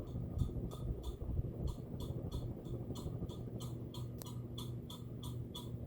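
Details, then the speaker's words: 52-inch Nutone Hacienda ceiling fan with a long downrod, running on high: thin chirp twice a second with each turn over a soft motor hum. Owner first suspects the motor housing rattling, then attributes it to the ball at the top. "I don't know it's rattling though I it's motor housing probably oh what's this sound oh that's just the ball up there"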